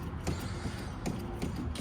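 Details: Lamborghini-style replica pop-up headlight cranked and powered: irregular dry creaks and groans as it moves, the mechanism binding on fiberglass strands left in the opening.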